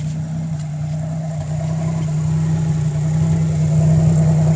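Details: Pontiac Fiero with L67 engine: idle hums at fairly high pitch and creeps up in loudness, with faint uneven pulse in the exhaust beat; high idle with a misfire.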